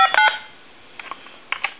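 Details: Harris TS22 lineman's buttset being checked, last-number redial function: a quick string of short, evenly spaced dial tones plays back cleanly as the stored number redials; working normally.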